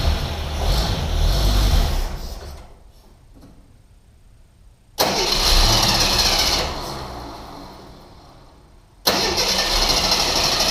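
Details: 1981 AMC Eagle sedan after distributor timing advance adjustment: engine fires, idles a couple of seconds, fades out and restarts twice with an uneven idle; rough idle with repeated stalling.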